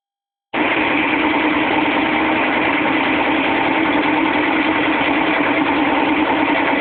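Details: GE WBVH6240FWW front-load washer: the metal tub's spider corroded so badly that 2 of its 3 arms broke off and beat the back of the tub during spin, making a loud harsh racket of about four bangs a second.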